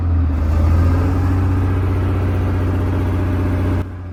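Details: Two British Chieftain Mk10 tanks in Houston, one first judged a write-off with a seized engine: deep, even diesel throb with slight rev lift, no knocks or misses. Normal running before trying the gearbox after about 15 years idle; may be running out of fuel.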